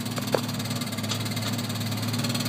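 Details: 1986 Chevrolet S10 2.8 V6 at quiet idle with a soft, light knock like a card in bicycle spokes, too light for rod knock; owner suspects the worn clutch, noise changes when pedal pressed.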